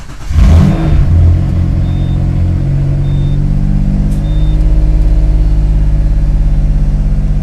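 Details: Subaru SVX, 23-year-old car, after front knock sensor and all vacuum lines replaced and intake manifold repainted: battery reconnected, fuel primed, cranks briefly, catches cleanly and settles into an even, steady low idle with no knocks or misses; normal start and idle.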